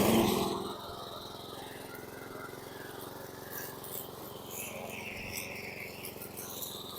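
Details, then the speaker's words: 2014 Troy-Bilt TB130 mower with Honda GCV engine chugging slowly but evenly, well under normal running speed; idle RPM too low and needs raising. "the 2014 with the Honda powered gcd RPM so low I gotta just bring this up a tad"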